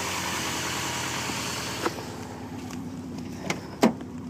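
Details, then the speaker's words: Cold start and idle of a 1995 Subaru Legacy after sitting overnight, push-button start, no check engine lights: a low, even rumble with steady beat, a few small clicks, no misses or knocks. Normal idle. "it will start and run it does have push button start there are no check engine lights on you can bring your scanner to verify that there are no stored codes motor runs motor runs"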